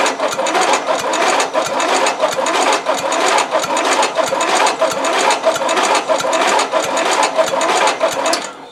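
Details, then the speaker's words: Used 12.5 HP replacement engine on the Shark, second key attempt with enough battery: even cranking about 1.5 pulses per second that never catches, no fuel arriving. Stuck carburettor float and needle. "Tu vois bien que le moteur il tourne mais à l'oreille tu entends qu'il y a pas du tout d'essence qui arrive"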